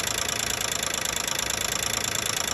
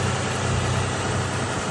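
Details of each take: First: 2012 Nissan Maxima 3.5 L at idle: fast even bright metallic ticking rattle over a smooth idle; owner suspects the intake bracket, engine otherwise running strong. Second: 2012 Nissan Maxima 3.5 L engine at idle after replacing the damaged intake bracket that caused knocking: steady even low hum, no knocking or ticking; engine sounds smooth and healthy.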